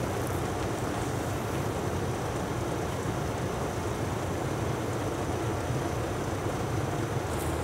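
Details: Hitachi Yutaki S 14 kW heat pump outdoor unit RAS-5WHVNP, recorded about 4 m away, compressor working hard: steady even roar with deep hum and faint high whistle, running normally.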